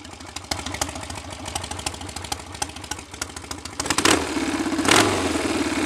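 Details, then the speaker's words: BSA A65 Spitfire Hornet twin after ignition timing was advanced, probably a couple of degrees, having previously hunted, raced or stalled: slightly uneven but steady tickover, a quick blip near the end, then a fair idle; not the best A65 idle but much improved. "it's not the best tick over on a 65 but things seem a lot better than they were"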